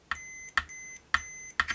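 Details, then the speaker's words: Jaguar bass body cavity with conductive shielding paint: four short, steady high multimeter continuity beeps, each starting with a probe click, showing the paint conducts, though the cavities aren't joined and the shield paint isn't connected to ground. "the continuity beeper beeping. But they didn't join the cavities."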